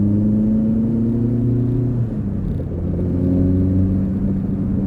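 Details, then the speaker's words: Fiat Cinquecento with 900cc Trofeo engine on stock ECU, short-ratio gearbox, after fixing a main running fault; drives better and revs better, still slightly tappy as the adjustable tappets need adjusting. Hum climbs, drops at a shift, pulls cleanly; normal under acceleration. "It drives so much better now. Still a little bit tappy. The adjustable tappets definitely need a little bit of a tweak. Otherwise, sounds good, pulls well."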